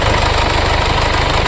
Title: Mercedes Benz cla diesel 2015 model engine misfire fuel injector cylinder 4 open circuit.( P027285)